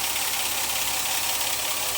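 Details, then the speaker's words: Ford Granada 3.0GL automatic, monthly warm-up start; the owner suspects the carburettor isn't quite right. A steady, even warm idle with no knocks, misses or hunting over a hiss; the engine sounds good. "so I mean the engine sounds good really it does"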